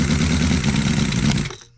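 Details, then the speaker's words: Cison L4-175 flathead four-cylinder model engine, newly built and not broken in, run briefly for thermal cycling because the radiator is not flowing properly. Buzzes steadily with an even beat, then is shut off and dies quickly; normal running. "hole number seven is alive and it doesn't run terribly bad i know it will run better after it gets you know broke in"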